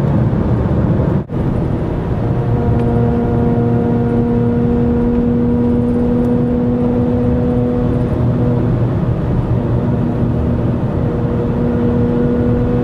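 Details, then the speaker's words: 2012 Toyota RAV4 EV with Tesla motor, remote mic, driving at 60 mph under throttle: steady mid-pitched whine with higher companion tone over road rumble, louder with more power; drive unit gear noise, Toyota has agreed to replace the motor under warranty. "now it gets louder and louder it is dependent on how much power is being applied and there we are driving at 60. I step on the gas let me make quite a bit more noise"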